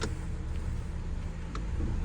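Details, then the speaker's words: 2019 Ram Promaster City after replacing bad rear lower engine mount that caused vibration and jerking when shifting: even low rumble, only light clicks, no shudder; engine no longer jumps, vibration about 90% less. "The engine doesn't even kick anymore like before. Before it just jumped back and forth like this. Now I don't even feel it anymore. No more vibration."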